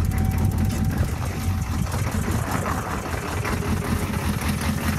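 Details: Ford 6.9 IDI diesel, cold start with new glow plugs after bypassing the glow plug controller: settles into an even, steady idle clatter with regular low pulses, no stumbling; normal cold-start idle.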